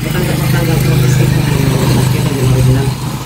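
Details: Honda XRM 125 motorcycle engine overhauled two days earlier: fast, even tapping knock over a steady low idle that does not fade; a mechanical knock in the engine, cause unknown.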